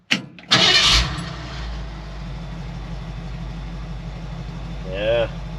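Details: 1966 Ford F100 302 with AOD automatic, octane booster added, after fixing vacuum leaks and timing: cranks briefly, catches, settles into steady even idle with no misses or knocks; normal start.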